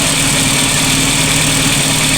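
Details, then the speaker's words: VW Polo Classic (MP9) warming idle after coolant temperature sensor swap, earlier fluctuating at 1500–2000 rpm: even, steady idle with constant hum, no hunting or surging; unstable idle now conquered. "I'm going to confidently say that we have conquered the unstable idle."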